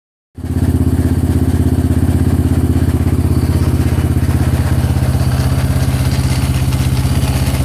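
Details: Yamaha Raptor 700 at idle, valves properly adjusted: regular metallic clatter each firing stroke; owner cannot locate rattle, suspects crank, rod, head or other. Engine rattle.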